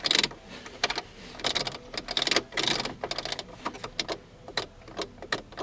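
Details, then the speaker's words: 2001 Chevy S10 V6, key on, no instrumentation and no blower, engine still starts and runs: irregular bursts of rapid dry relay clicks with quiet gaps; traced to a faulty cluster harness connector. "hear relay clicking but I got nothing else and of course it does start and run"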